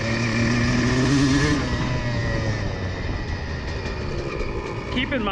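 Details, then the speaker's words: CR125 two-stroke: clean, steady buzz through the midrange revs, easing off smoothly without burbling or stutter; much better, cleaner running with correct jetting, though it is not meant to run perfectly at midrange. "tout cela devrait être nettoyé maintenant semble un peu mieux, je pense qu'il a besoin être nettoyé juste un peu plus oui c'est beaucoup mieux"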